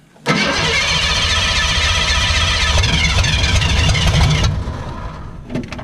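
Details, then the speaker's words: Ford 302 V8 (for a 1959 Ford Ranch Wagon) just fitted with factory short-tube headers replacing exhaust manifolds, started by jumping terminals: quick crank, then steady even rumble with no misses or knocks; normal start and idle. "almost [Music] it runs oh that's all we needed to do and hear it run"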